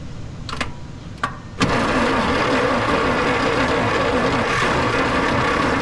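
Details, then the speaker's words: 1941 Plymouth Special Deluxe barn find, parked since 1995, battery recharged, carb and choke cleaner sprayed in: a few short cough-like bursts, then steady cranking that keeps churning without catching; it tries but won't start. "Oh, she wants to."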